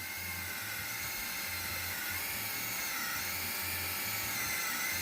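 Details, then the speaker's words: RC car winch on a third-channel winch controller, holding the line under load: a thin high buzz with a low pulsing motor growl, only because a small voltage is reaching the motor. "you can hear the the motors growling a bit but that's purely because there's only a small amount of voltage going to that"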